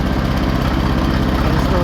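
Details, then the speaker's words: Cast-iron Kohler K-series single-cylinder engine at steady speed with a sharp knock on each firing pulse, unchanged after octane booster so not an octane issue; end play checked good, some cam gear slack; pre-ignition knock from over-advanced ignition timing. "I just added some octane booster to it. We'll see if that gets rid of that knock after a few minutes. Oh, it's not an octane issue. Still running the same."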